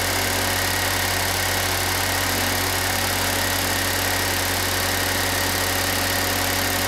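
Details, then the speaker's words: Pontiac Solstice idling with A/C on after replacing the compressor, while recharging with R134a: steady, even idle with a constant hum, no knocks or rattles; engine and new compressor sound healthy. "let's see how well that new air conditioner compressor we put in works"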